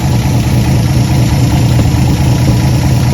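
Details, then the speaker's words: 1954 Chevy pickup farm truck six-cylinder, parked 30-some years, idling smoothly on a boat tank after points and wiring work because its fuel pump would not pump. Steady even low idle, no knocks or misses; normal idle. "so thinking we needed a new fuel pump sort of worked but anyway we hook the boat tank to it and it's idling running really nice"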